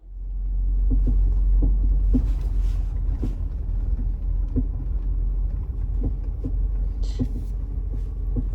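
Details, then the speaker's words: Ford Territory SUV driving: irregular light clunks knock through steady road rumble from a worn front sway bar link, the third set fitted in 10 years of ownership. "pretty sure you can hear that rattle. Alright, we're gonna fix that."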